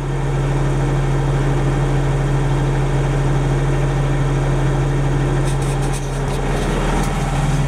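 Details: Denyo DCA-15SS-N genset with 1.6 L 3-cylinder Nissan diesel (18 PS at 1500 rpm), over 30 years old, first start in years, now warmed up and not smoking: steady even low hum, unchanging beat, no knocks or misses; running perfectly.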